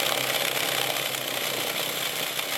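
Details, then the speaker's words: Used subwoofer tested live on an amp: a harsh, steady, high-pitched buzz with no bass while the cone is not moving at all; a blown sub, with the voice coil suspected to be damaged. "this is uh kind of a little bit disappointed here obviously something wrong with a voice coil it's not even moving the woofer at all"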